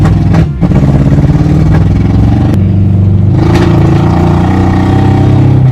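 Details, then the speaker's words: Honda CRX project car revving with plug wires in the wrong firing order; loud, lumpy V-twin-like beat stumbling on some cylinders, possibly on 2 or 3 cylinders, sluggish with no throttle response — misfire from wrong firing order. "Yeah, I don't know if it's all firing on all cylinders. It's either the timing or it's not firing on all. That's why it's like it's like a motorcycle engine. It does sound like a V-twin."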